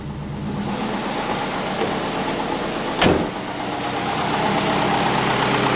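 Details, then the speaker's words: Twin-turbo Subaru Forester restarted after repairs, before tuning, still smoking from below possibly spilled fluid or condensation: steady even idle, smooth low rumble with one brief knock; normal idle. "all right but idling pretty good we are smokey it is still smoking from down there"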